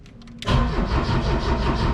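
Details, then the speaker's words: Porsche 914 2.0 race car sitting for 10 years, fresh fuel, oil checked and spark plugs changed: short sluggish labouring cranking with no catch because the battery is dead; a jumper is used next. "on come on yeah the battery is dead that sucks"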